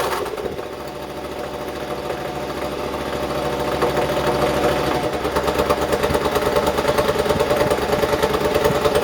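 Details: Rebuilt open exhaust just fitted to a Triumph: revving through the open pipe with sharp pops and crackles between firings. The still-connected AIS air injection system makes it run lean and pop; the owner intends to disconnect it.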